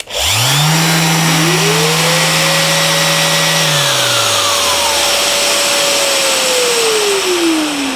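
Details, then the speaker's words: Festool CT 26 dust extractor in automatic mode with a sander plugged in: sander spins up first, extractor's rising whine joins after a delay and runs on smoothly after the sander stops to clear the hose; normal auto start and run-on. "When I turn the sander on, the dust extractor won't turn on for a little bit, and then when I turn the sander off, the dust extractor will still run to clear the hose."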